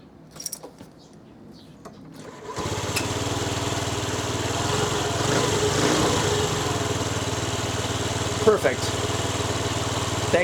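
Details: Old Honda Dio 50cc two-stroke scooter, test start after battery replacement: starter spins briefly, then a steady, even buzzing idle with no misses or knocks; normal, healthy idle.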